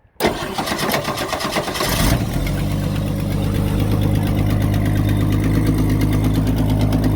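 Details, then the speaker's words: 1966 Mustang, six-cylinder, first start after sitting 22 years, after a tune-up and fixing swapped coil wires, on unknown old gas. It cranks and catches, then idles cold and rough with an uneven puffing chuff about three times a second. Exhaust leak suspected, cylinder unknown. "Sounds like it's got an exhaust leak pretty bad. Not sure which cylinder, but and maybe it'll go after after it warms up."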